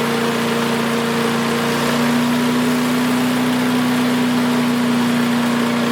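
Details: Craftsman 5 hp wood chipper single-cylinder, revived after sitting 3 years jammed: steady, even buzz at constant pitch, no surging or misfires; initial smoke, likely WD-40 or PB Blaster, cleared and exhaust ran clean. Running smooth.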